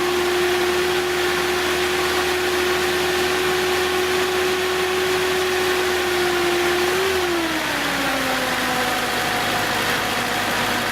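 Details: 1970s Datsun engine idling on its 6.5-year-old 12V battery after rejuvenation from deep discharge (12.76 V); steady hum, note drops slightly then stays even, no odd noises.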